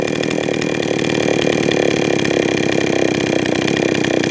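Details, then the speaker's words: Jonsered 525 chainsaw with slow, uneven two-stroke idle ready to die after hesitating off throttle; judged too lean on low side, low jet and idle screw being turned up; idle too low, engine wants to stall. "I want to die so I give it a little bit more idle screw oh a little more on the low side mmm more idle"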